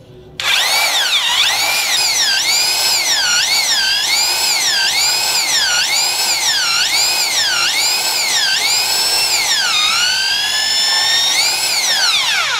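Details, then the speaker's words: 550 W hammer drill after replacing old grease that had turned liquid with age; run in normal drill mode, clean motor whine rising and dipping with the trigger, no grinding or rattle, smooth as new; normal drill running. "উল্টো দিকে চালাচ্ছি, দেখুন এইরকমভাবে আপনারা নিজেরাও বাড়িতেই এই গ্রিসটা change করে নিতে পারবেন, আর চেঞ্জ করলে বুঝতেই পারবেন যে কতটা স্মুথ, পুরো নতুনের মতন হয়ে গেছে।"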